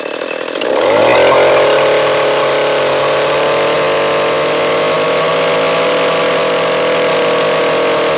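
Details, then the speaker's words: Echo CS-341 chainsaw, new carburetor fitted but still ran poorly, after carb high-speed tuning: snaps up to a high steady buzz, clean and even, no burble or hunting; slight bog noted, running good. "you heard the engine bogged down a little bit but yeah looks like it's running good"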